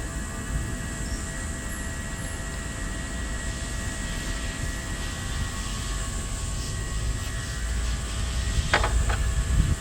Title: Bmw 6 cylinder misfire